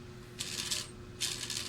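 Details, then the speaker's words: Mitsubishi Adventure speedometer gauge on the bench, cable turned slowly by hand; owner reports noise and a needle jump past 60 kph: two short bursts of high, tinny chattering rattle, internal cause unknown, before repair. "Oh mabagal palang pihit ko pero maingay na siya."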